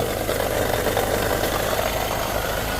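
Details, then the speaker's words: Mazda BT50 Pro manual gearbox idling: dull, busy knocking that stops when the clutch is pressed and returns on release, from a broken countershaft support bearing, blamed on wrong gear oil; fixed by replacing the bearing and refilling 75W-85. "ถ้าไม่ผิดพลาดประการใดอาการนี้ก็คือไอ้ลูกปืนนะฮะลูกปืนประคองเพลาราวเกียร์แตกนะฮะซึ่งเป็นอาการประจำของรุ่นนี้เลย"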